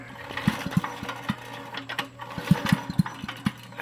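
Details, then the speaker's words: 1990s Troy-Bilt Horse PTO tiller, Briggs & Stratton engine, cranked after it died with a shotgun-like bang: slow pull-over, soft irregular taps, zero compression; owner hears the piston moving, doubts a broken rod, suspects broken or worn rings or valves. "I swear I can hear the piston going up and down. I know y'all can hear that. Tin tin tin tin. Tin tin tin tin. So I don't think the connecting rod broke."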